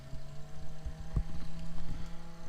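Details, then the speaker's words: Waeco camping fridge 12-volt fan (part D12BM-2) running: steady hum with irregular rattling and clunking from worn bearings; the replacement fan runs quietly. "they're pretty equal but you can hear that fan rattling and clunking away and i shut him off this guy here is purring like a kitten so the bearings are definitely going on that other fan"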